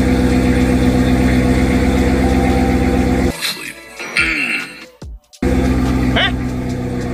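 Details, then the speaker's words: Dodge turbo Redeye, sat two to three weeks, hot weather, P0300 code still present: regular even idle about four beats a second without obvious misses; idle sounds steady. "all right so we still got the code but you can hear is idling just fine"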